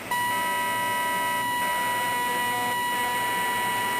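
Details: Zenith Trans Oceanic Royal 3000-1 radio after repair and reassembly: steady whine with several fixed tones over hiss once the nearby frequency counter is switched back on, interference from its multiplexed LED display.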